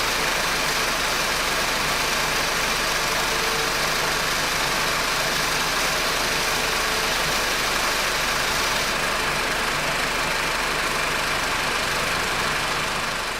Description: Honda R18 tensioner bearing producing "zzzzz" noises intermittently.